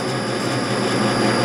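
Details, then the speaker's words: Lathe slowed down cutting grooves 0.050 in deep in copper turntable feet with a parting-like grooving tool: steady hum with a faint rough buzz as the tool starts to chatter at depth, so the cut stops. "you can hear it trying to chatter so we're just going to stop it right there"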